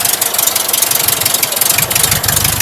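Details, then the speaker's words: Rebuilt stock air-cooled VW flat-four, once a sidewalk engine: even, steady idle pulses with a slightly raspy exhaust that has an odd tailpipe sound, and no knocks or misses; runs good; normal idle. "Yeah. Runs good, man. It's a good stock motor. Yeah, it sounds good."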